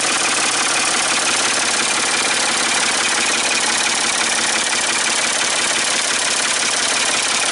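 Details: Ford 550 TLB backhoe, 3-cylinder diesel, after reassembly and injector fuel bleeding, cool day: steady even idle clatter just under two beats a second, no misses or knocks; running fine, small injector return-line drip only.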